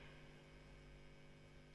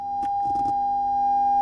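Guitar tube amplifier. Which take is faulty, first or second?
first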